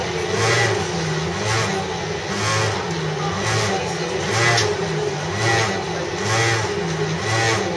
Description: This noise sounded like a motorbike having a stalling engine.